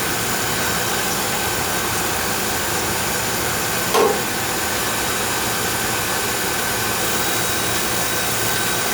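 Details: Oil furnace burner, checked after an oil-smell complaint and a fan that ran all the time, firing on a thermostat call: steady, even roar with no pulsing, puffing or rumble throughout; fires cleanly and sounds healthy.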